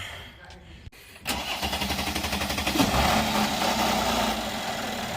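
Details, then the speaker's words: 2013 Mercedes-Benz E350 with intermittent hard starting, after replacing three of its four camshaft position sensors: about four even cranking beats per second for 1.5 seconds, then it catches cleanly and settles into a steady idle. The start is a little better. "crank up the first start that time it's a little better"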